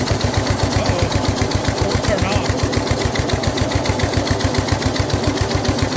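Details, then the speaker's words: Older Snapper rear-engine rider with a Briggs 12 HP I/C engine, abandoned for years, throttle worked by hand, no choke hooked up, blade turning: steady, even single-cylinder thump at fast idle, quiet despite the rough muffler. Running healthy. "And the engine sounds really good and really quiet with that very disgusting muffler on it"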